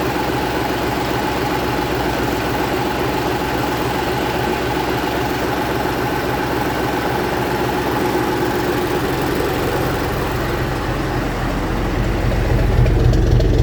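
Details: 1965 Gardner 6LXB 180 six-cylinder marine diesel, test run after restoration following failure at 80 hours: low, even thrum, regular firing with no knocks, ticks or hunting; healthy idle.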